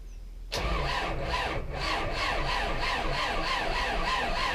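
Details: Belarus MTZ 82.1 tractor diesel: starter grinds it over at about four compressions a second for several seconds without firing; prolonged cranking, hard starting.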